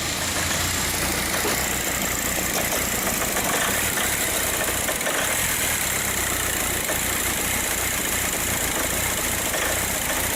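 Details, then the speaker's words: 2004 VW Passat TDI 2.0 BHW at idle with a complaint of running terribly and multiple sensor codes. A bad camshaft was suspected, then doubted. Uneven, lumpy diesel beat with irregular stumbles; rough idle. "when it pulled in I thought for sure it was a bad camshaft and we'll start it up her before you and let you listen to it but more I listen to it more I don't think it's a bad camp"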